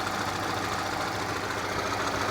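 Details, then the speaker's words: 1997 Acura Integra B18B1 automatic with a blown head gasket, antifreeze smell and mist: an uneven knocking rattle over a rough, noisy idle. Suspected rod knock; the engine is shut down. "he's still knocking you can just smell antifreeze"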